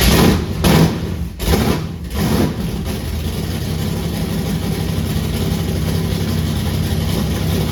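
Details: Forgotten 1964 Impala drag car, started for the first time in decades after the points were cleaned and set at 0.016": a few uneven cranking bursts, then it catches and settles into a steady low rumbling big-block idle; it starts fine.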